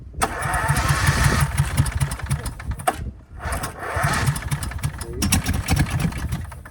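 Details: 24-year-old Generac 10000EXL generator with a Briggs V-twin, unrun for 8 years, started on choke. Two bursts of cranking chug unevenly but never catch. It is a hard start; miswired ignition with no spark was later found.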